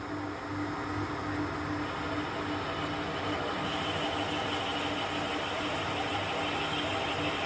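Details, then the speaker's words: Mill boring head holding an HSS end mill with a 12 mm shank, cutting on one flute with copious cutting oil, boring a radius dresser part: a steady even cutting hiss with a faint constant tone, no chatter or squeal. Smooth, healthy boring cut. "Well, that seemed to bore out rather nicely actually. We might have a winner here."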